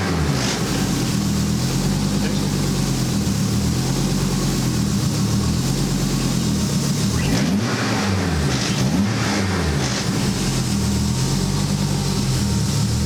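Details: Homemade Ariel Atom replica with rebuilt fuel tank (to cure fuel surge in long left turns), started via main switch and starter wire: steady idle with brief rev swings and gentle rise and fall from idle valve control; may need minor adjustment, otherwise healthy.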